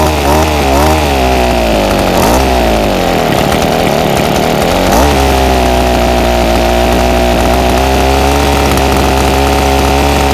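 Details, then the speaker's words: Ryobi SS30 30cc two-stroke string trimmer before carburetor adjustment. The buzzing note sags and drops in pitch under throttle, then recovers. The engine bogs on acceleration, suspected to need low-jet carb adjustment. "so I've got the ryobi s s30v trimmer here and it's been running really bad just bogs out whenever I give it throttle"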